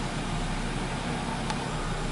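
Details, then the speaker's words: 2013 Nissan Rogue CVT, about 109,000 miles, towed in with no drive and code P0746: in reverse with the pedal floored, a steady low idle drone with no rise in pitch. The engine won't rev; the cause is not confirmed. "you put it in reverse press on I guess I'm all the way down on the accelerator pedal and the RPMs are not moving they're not even raising up"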